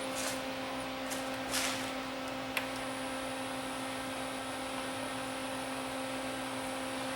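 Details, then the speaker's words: Sony CDP-40 CD player, over thirty years old, that won't eject: steady thin loading-motor hum at constant pitch with no tray movement; motor spins free because the loading belt has turned to mush. "I can hear the I can hear the loading motor spinning so I bet either loading belt is broken and it's gonna need a new one"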